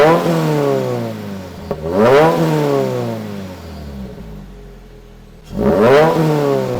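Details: Turbocharged new-generation Subaru BRZ with catch can, cold start: two clean free revs climbing quickly and dropping back smoothly, even tone, no knocks or rattles; not too loud when revved, healthy.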